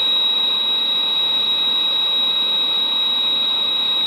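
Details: 1962 Sears Silvertone tube black-and-white portable TV after reforming electrolytic capacitors: steady very high-pitched whine with no wavering, horizontal drive present at about 15 kHz; horizontal oscillator running normally.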